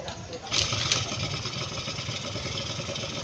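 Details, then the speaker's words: Suzuki Street Magic after repairing a no-start that wet the spark plug with fuel; electric start catches at once, settles to steady even idle, revs and shuts off normally. "ทีเดียวติดเดินเบาได้อ่าเร่งได้อ่ะดับเครื่อง"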